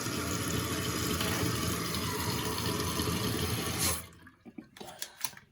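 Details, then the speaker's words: Toilet tank refill after replacing the flapper and/or fill valve to cure phantom flushing: steady rushing water fill for about four seconds, then a clean shut-off with only drips; much quieter than the old valve, working normally. "It's a lot quieter than the other one."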